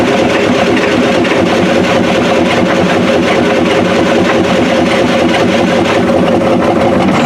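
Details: 1993 Ford F-250 7.3L IDI diesel after new injectors: loud clatter at fast idle with slightly uneven beat, running rough; owner suspects injection pump severely out of time, needs timing; water pump squealing belts.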